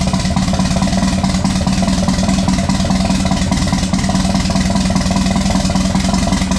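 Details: Mk1 VW Rabbit with ABA turbo engine and DQ250 DSG swap, E85 fuel, first start after grounding the coil: four-cylinder runs smooth and steady with constant low hum, no misses, ticks or surges; healthy even idle.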